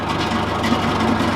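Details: John Deere 410C backhoe diesel after glow-plug preheat and start on newly replaced batteries (old ones weak); low even chug at smooth steady idle, no misses, knocks or hunting; alternator shows 13 V; healthy.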